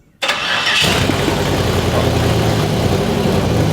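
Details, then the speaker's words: Nearly finished Jeep Comanche project build, freshly wired, started up the night before: short crank, catches in under a second, settles into a steady, even idle with no misses or knocks; normal. "but we were able to start it up last night, which was so cool."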